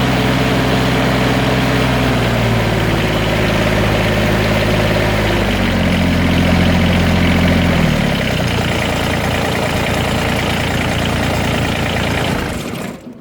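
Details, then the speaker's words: Engine started and running after a fix for cold-weather cable squeal and a jumping needle: steady, even engine beat with no squeal or whine, winding down smoothly at shutoff; runs normally. "So we'll fire her up and see how she works."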